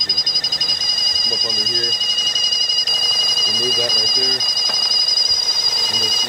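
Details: 2011 Chevy Cruze: steady high-pitched whistle/squeal over the engine, with StabiliTrak light, surging low rpm and lost mileage; PCV valve found stuck open.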